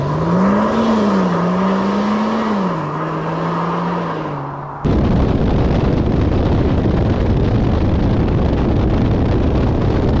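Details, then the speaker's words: 2024 Range Rover Sport P440e–P550e hybrid, 3.0 inline-six under combustion power after EV mode, with an aftermarket valved exhaust system, valves shut. Soft, smooth hum rising and falling with throttle, then a steady rush; quiet in cabin; normal. "so yeah so this is now this is engine going still very quiet with our valve shut on the outside of the car there is something but it's still exceptionally civilized within the cabin"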